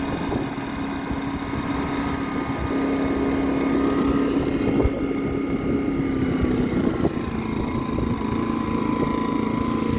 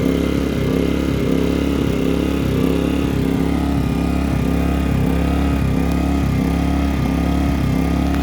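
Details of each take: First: Pulsar inverter generator after repair: surging was caused by a deteriorated carburetor paper gasket letting air in. Small engine now runs smoothly at a steady hum with no rising and falling surge: steady running, no surging. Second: Pulsar inverter generator surging: engine speed dipping and recovering in a steady restless pulse; simple fix was a damaged gasket, air leak, found while removing and cleaning the carburetor.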